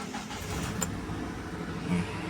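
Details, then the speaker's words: Start-up of 2003 Hyundai Trajet DOHC manual after alternator removal, refit and belt tensioning: engine catches and settles into quiet, steady idle, no squeal or rattle; battery warning light now goes off. "Oke, coba kita nyalakan. Nah, ini indikator akinya."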